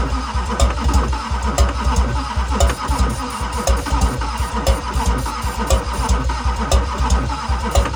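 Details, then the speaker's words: 2001 Duramax LB7 diesel pickup cranked while spraying ether: steady cranking about one beat a second with sharp pops but no start; owner suspects sheared cam pin and bent pushrods causing popping, yet engine still pulls vacuum. "probably has a sheared cam pin probably has some bent push rods which is where you're getting that popping from"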